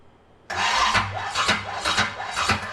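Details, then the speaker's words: Engine first start after distributor installation: labored, uneven cranking with heavy knocks about every half second as the starter strains; ignition timing set too far advanced, fixed by rotating the distributor. "All right, everybody hear that? That means it's too much timing. I'm going to rotate it to get away from it."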